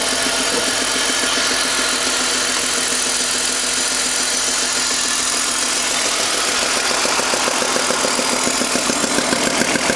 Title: BMW M52 weird noise.